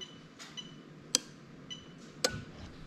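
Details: Test of a GS430 3UZ-FE VVT-i adapted plug-and-play into a Lexus IS200 with J160 6-speed: AC magnetic clutch relay in the fuse box next to the ECU, switched on and off via active test, gives sharp clicks about once a second. Relay switching normally.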